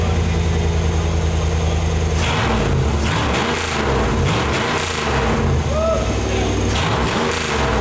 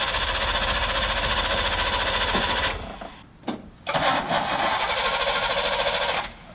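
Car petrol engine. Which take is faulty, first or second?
second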